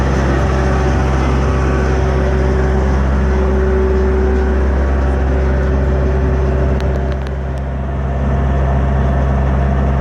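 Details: Cummins ISX15 diesel at steady idle with a droning hum and a faint steady whine from a failed turbocharger.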